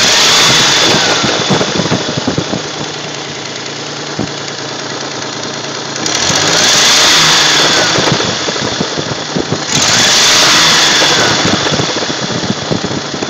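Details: 1979 Datsun 280ZX: fast light clacking, around four per second, rides over the engine and grows louder with each throttle blip, from under the front of the valve cover, with gurgling on return to idle; cause not pinned down.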